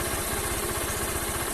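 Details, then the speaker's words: Honda CG 160 Fan, 6,000 km: reassembled after home valve clearance adjustment, tapping previously stopped only when hot; now steady even idle thump with no valve-cover tapping, engine smooth; normal idle. "Ó agora não tá mais batendo ó barulho Tá macio do motor"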